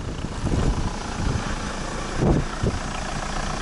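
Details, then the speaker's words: Toyota Rush 3SZ-VE, engine rebuilt for a knock a year earlier, cold start at about −20 to −23 °C. It starts well and the oil pressure light goes out at once. The cold idle is steady and slightly raised, with no knocks or ticks; a normal cold idle. "отлично завелась давление сразу погасло Нет тихо работает мотор все отлично слышно только дизель Как работает посмотрим выхлоп ребят машина холодная сейчас будет повышены топливо ладно пусть прогревается"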